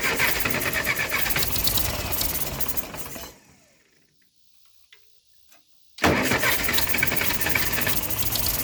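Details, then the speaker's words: Ferguson TO20 tractor sitting three to five years not running, cranked on choke while working the starter: two long bursts of ragged cranking with uneven firing attempts, never runs; cranks but won't start, carburetor and distributor timing being adjusted. "I'm going to set y'all up and work the choke and St starter all at one time to see what happens fingers crossedition on choke on we're getting there y'all"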